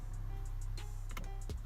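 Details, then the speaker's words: 2001 BMW 530i power window: a steady low electric hum with no change in load and no glass movement. The motor works but the window doesn't move; the owner suspects the glass fell off its track or something is blocking it inside the door. "don't know if you can hear the camera but the motor is definitely working but the windows not moving so I'm thinking maybe the window just fell off the track or something's in the way inside the door jamb or something of that nature"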